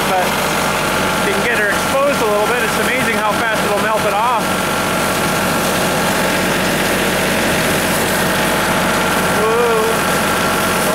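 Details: Tractor-mounted branch sweeper sweeping road: steady tractor drone, brushes sweeping evenly, no grinding, crunching or chain slap; sweeper drive healthy.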